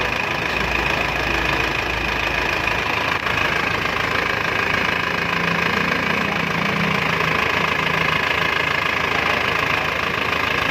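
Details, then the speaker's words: Isuzu Panther 2.5 diesel just after overhaul (new main and rod bearings, piston rings, liners bored), first start and idle: steady even clatter, no irregular knocks or misses. Normal diesel idle. "Kita dengarkan suara mesin Isuzu Panther 25 setelah overhaul ya bro ya."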